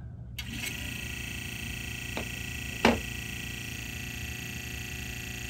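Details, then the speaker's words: Sony TC-K65 cassette deck: the previously jammed capstan motor runs with a thin, rough, loud whirring hum and faint clicks; unhealthy motor, likely to be replaced with the motor from a TC-K61 parts deck. "oh this motor is not healthy but let me just leave it on for giggles and we'll see what happens when we hit play now"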